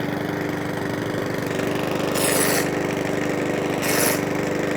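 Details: Mountfield 164 self-propelled mower (same as 414) after carburettor fuel-leak repair, on fresh fuel: steady even beat with no hunting or surging, two brief hissy bursts over it; normal idle.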